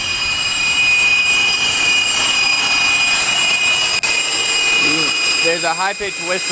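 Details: 2000 Acura TL after knock sensor replacement: steady high whistle from AC compressor side, pitch wavering as idle RPM surges; owner suspects broken vacuum hose elbow causing air leak, unconfirmed.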